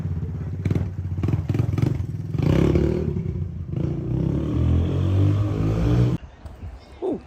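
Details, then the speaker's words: 1984 Honda ATC 200 three-wheeler single-cylinder started after a full service with fresh engine and final drive oil and a new spark plug; fires evenly and picks up cleanly on throttle, some handling clatter, runs normally. "So now it's moment of truth. Let me try to start it up. Okay, make sure it's running. So it's running."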